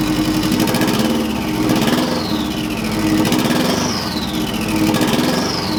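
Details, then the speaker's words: Subaru EJ205 swapped into a Honda CRX, first startup on a stockish setup: slightly uneven idle between throttle blips, rougher than wanted but no misfire; owner unsure if timing or fueling, maybe needs tuning. Rough idle. "it's not running super smooth. It's not a misfire type running rough-ish situation. It's just not as smooth as I would like it."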